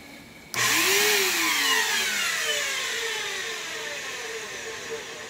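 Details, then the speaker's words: Vacuum cleaner that sat in a damp shed, brushless motor bearings worn and the brush roll locked up: the motor spins to a high, shrill, gritty whine that wavers and is getting worse over time. Worn motor bearing noise. "other than that you know the motor sounds really bad the brushless bearings sound bad"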